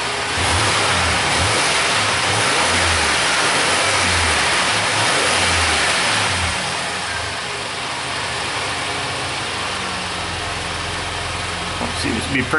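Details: 1999 Suzuki Grand Vitara that won't set inspection monitors, after a brief warm-up with a new universal upstream O2 sensor fitted: warm engine picks up cleanly on throttle, revs rising and falling smoothly with no misfire or stumble; normal revving.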